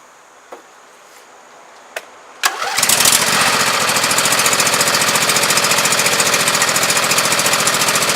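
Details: Husqvarna YTH2448 mower, 24 hp Briggs V-twin; starts after a few pulls, then rough, uneven popping and sputtering near 3.5 per second; owner traced it to one weak cylinder, compression test planned: misfire on one cylinder.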